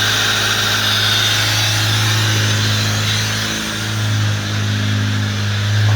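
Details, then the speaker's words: Fiat Palio 1998 Fiasa engine, brought in with a loud engine noise the owner blamed on the alternator, idling with the alternator belt off and the air filter removed: an even idle hum with a slight dip and recovery. It sounds normal, ruling out the camshaft and water pump. "Aí, pessoal, ó, pode ver aí que tá com barulho normal, beleza?"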